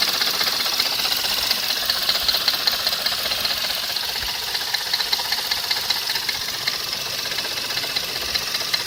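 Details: Skoda Fabia RS engine running with sharp, fairly regular light ticking, about two and a half a second, over a thin engine hum; a knock from the engine or accessory drive, source unclear.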